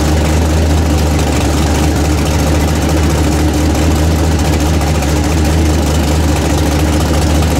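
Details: Newly built 406 small-block V8 in an S10 truck, freshly started before break-in: deep, steady idle with an even, lumpy beat and no knocks or ticks; engine running healthy.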